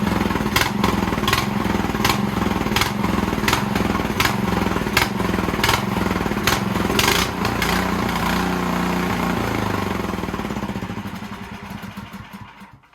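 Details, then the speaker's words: Snowblower engine whose rebuilt carb leaked, now fitted with an Amazon carb, runs only on choke; on the stand with throttle up and full choke, it chugs, surging and sagging before dying away, hunting at idle; pilot jet problem suspected. "But it definitely is hunting a little bit, especially in low idle. So I'm betting there's a problem with the pilot jet"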